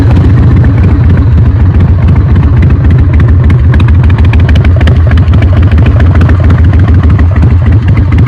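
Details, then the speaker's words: Carbureted motorcycle not run for a few years, first start on fresh fuel with choke: uneven lumpy idle with some stumbles; running slightly rough, owner expects it to clear with more fresh fuel and rides. "Perfect, you can tell it's running a little bit rough, but I'm sure it'll clear out with some more fresh fuel, a couple of rides."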